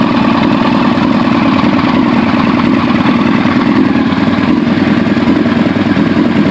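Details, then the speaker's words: 2001 Yamaha R1 inline-four, after an accident repair, idles at steady speed with a busy, uneven clatter from the top end near the valve cover; owner suspects a valve, cause of the knock unknown. "got it cranked up and it sounds like I'm having a funny noise almost like a valve not right inside of there"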